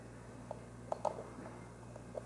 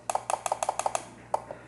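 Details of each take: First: Relay under test: crisp single clicks at irregular intervals with clean switching and no buzz or chatter; a healthy relay. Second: Relay under test: a run of sharp double clicks, about six pairs a second, then one stray click. Its coil reads far lower resistance than good relays, which overloads and burns out the driving transistor; the relay is faulty.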